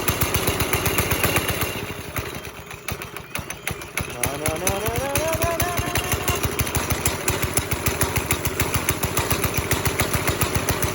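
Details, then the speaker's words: 5.5 hp Briggs & Stratton single-cylinder NASCAR go-kart, pedal floored but steady putter of about 3.5 beats a second never picks up; throttle cable had come loose with its hanger out, leaving the engine stuck at idle. "Like, my foot's on the floor, and we're not getting, like, full reaction here."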